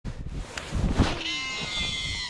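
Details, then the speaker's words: Ozark Trail baitcaster reel on a cast; short whirring squeal holding a high steady pitch as line pays out, like an elephant blowing its trunk; cause unknown, drag or tension suspected; reel screeching. "oh boy oh boy it kind of sounds like it wants to be a Shimano Cado DC with the digital chip okay that sounds like an elephant uh you know blowing its trunk"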